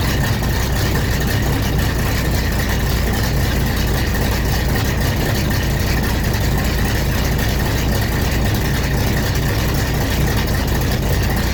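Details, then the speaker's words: 1970 Pontiac LeMans/GTO V8 after custom 3-inch exhaust install, heater core connections leaking: deep, steady idle rumble with even beat, no knocks or rattles, fairly subdued exhaust, quieter than expected; normal idle. "But it runs, and it sounds good. Not nearly as loud as I thought it was going to be, thank goodness."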